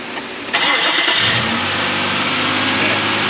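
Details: 2000 Nissan Frontier 3.3 4x4, restart after oil level check following timing belt, water pump and crank pulley replacement, before coolant refill: brief crank, catches cleanly, smooth even idle with no knocks or misses; healthy.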